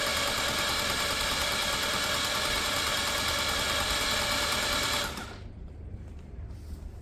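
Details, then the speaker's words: Peugeot Tweet carburettor scooter being diagnosed for no-start, kickstart busted, starter motor changed: starter spins the engine very fast and evenly, about four beats a second, with no firing; owner suspects an engine issue, cause unknown. "my biggest concern is that it's turning over really fast normally that means there's some sort of um engine issue it's turning you can hear it it's very very fast"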